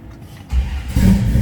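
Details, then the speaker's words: 1973 Dodge Charger, 440 V8 with MSD ignition, Holley carb and cam, fuel pump switched on first: brief starter crank, fires immediately into a strong lumpy idle; normal easy start. "engages the starter. See how easily it starts. This thing's a great sounding car, nice cam to it."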